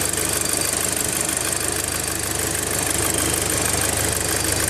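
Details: VW Golf GTI Mk5 four-cylinder at idle, PCV valve and cam follower just replaced: uneven knocking tap over the idle, about three or four a second; abnormal engine noise, source undiagnosed.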